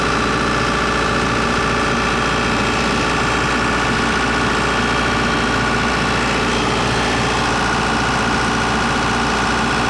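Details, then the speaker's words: John Deere 4045T turbo diesel in Atlas Copco 375 CFM air compressor after thermostat and radiator cap replacement for overheating: loud steady drone with even low throb, no knocks or misses; checking for leaks. "it's so loud uh checking for leaks so loud over there"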